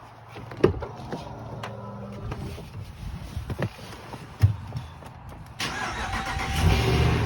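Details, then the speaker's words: 2020 Ram 5.7 eTorque after replacing the idler/tensioner pulley (part 68518735AA): engine cranks, catches and settles into a steady idle, with the whine on acceleration gone. "Sounds a lot better to me. Looks like that's all it was, folks."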